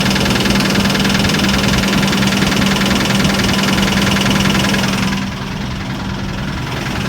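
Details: Idling petrol engine with a steady, fairly regular knock about three beats a second; owner unsure whether lifters or rod knock.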